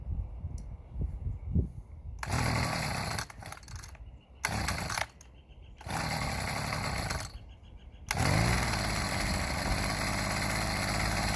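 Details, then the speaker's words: Homelite HTC 12 30cc two-stroke rototiller after new fuel lines and cleaning, started outside: a few pulls catch briefly and die, then it fires and settles into a steady, even buzz. Normal running. "And it runs. So we'll take it outside and we will start it up outside."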